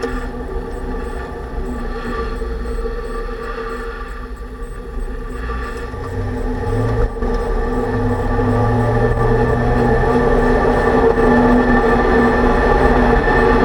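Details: 2006 Range Rover Sport, driving after a differential rebuild with all-new bearings, done for bad vibration and howling. A steady tone over road noise tracks road speed; the owner suspects the pinion preload set at 35 in-lbs is too high: differential whine.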